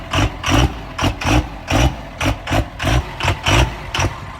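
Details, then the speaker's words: 1700 hp twin-turbo 3rd Gen Cummins drag truck at start-up after rebuild: uneven surging idle lurching roughly twice a second instead of running smooth; cause was the rail pressure sensor left unplugged. "The rail wasn't plugged in. We were just making sure that mechanics in the comments know it was the rail pressure sensor."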